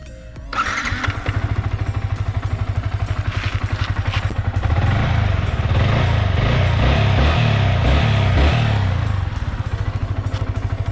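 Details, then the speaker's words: Yamaha R15 after extensive repair work following accident, previously noisy valve tappet: starts cleanly and settles into steady, even low thump, no ticking or rattle; engine noise back to stock, like new. "So இப்போ வந்து பார்த்திங்கன்னா நம்ம வண்டி ஸ்டாக்காக நம்ம வந்து வண்டி புதுசாக வண்டி எப்படி எடுத்தோமோ அந்த நாய்ஸ் வந்துடுச்சு ஃபுல்லாகவே."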